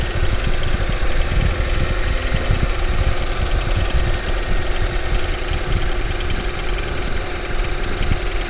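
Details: Ford Focus 3 facelift 1.5 EcoBoost 150 hp, bought new, 18,000 km, not chipped, always AI-98 fuel, oil changed every 5,000 km: loud steady idle with dull fast knock in low rumble; engine knock at idle, origin unknown.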